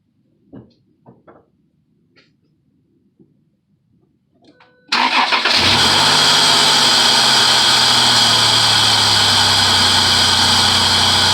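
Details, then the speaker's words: 2006 Chrysler Pacifica 3.5 V6 after serpentine belt pulley repair: cranks and settles into a steady idle with a loud airy throttle-body hiss (air box off); the loud belt-area squeal is gone. "only thing you can hear now is the throttle body because the air box is off but squeaking noise is gone"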